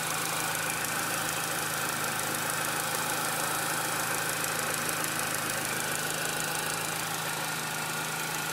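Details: Engine after the throttle body and BPV were removed, cleaned and refitted: a steady airy hiss over a quiet, even idle that does not change; owner suspects a vacuum leak but doesn't think it comes from the intake.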